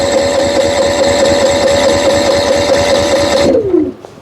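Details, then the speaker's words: Brand-new Honda EU7000 generator, after battery reconnected and display working: starter whirs at a steady high pitch with uneven chugging for about three and a half seconds, then winds down without firing; owner suspects oil needs changing (10W30). "No go. For countless times I tried and tried and tried, and this is what happened."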